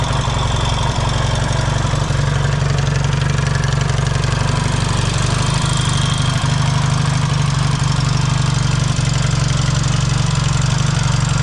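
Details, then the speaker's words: Yamaha XS650 twin at warm idle on a newly fitted 2-into-1 exhaust, after a clutch cover gasket fix and carburetor reinstall. It gives a deep steady thump with even exhaust pulses and no rattle or knock; runs healthy. "And I'll fire it up for you and I'll show you what it sounds like with this different exhaust on it."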